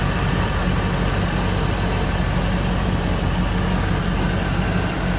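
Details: 1973 Ford Maverick restomod, fuel-injected 302 V8 with cold-air induction and aluminum radiator; it did not get warm on a 30-mile drive. Deep, even rumble with a steady beat and no ticks or knocks: normal idle.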